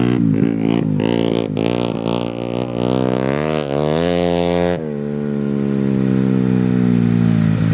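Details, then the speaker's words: Bike ridden on a frozen lake: engine revs hard, then breaks into rapid choppy cutting at about 6000 rpm, like a two-step limiter stutter; cause unknown, could not be fixed on the dyno. "well uh the bike is not really happy it has this like stutter at like 6000 rpm it almost sounds like two-step and uh we couldn't get it fixed on the dyno"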